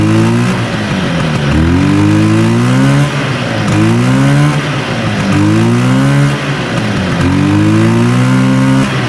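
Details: 1970 Herter's Husky 440cc Sachs twin two-stroke snowmobile, weak intermittent spark on one side: repeated rev-ups rise and stall unevenly with a ragged, lumpy exhaust note, bogging on about one and a half cylinders; points suspected, not confirmed.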